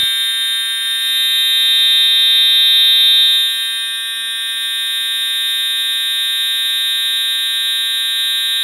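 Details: Edwards (EST) Integrity 757-7A-T unenhanced horn strobe, jumpers set to continuous tone and low volume, horn and strobe tested together: piercing high-pitched tone held steadily without pulsing; alarm horn sounding normally.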